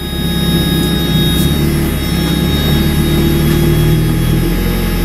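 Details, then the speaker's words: 1994 Mazda Miata after sitting over winter: loud, steady, elevated idle that never settles back down, as if over-boosting and sticking; owner suspects the idle control valve is sticking from sitting too long. "But yeah, it's like it's over boosting the idle and it's staying up."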